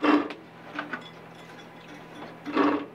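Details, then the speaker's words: RV furnace blower fan turned by hand: short scratchy rasps with quiet gaps between. Something, suspected to be a loose screw, is stuck inside the fan housing and causes the loud screech when running. "my suspicion was that there was something stuck inside the fan causing it to Screech like maybe a loose um screw or something and it sounds like that's right"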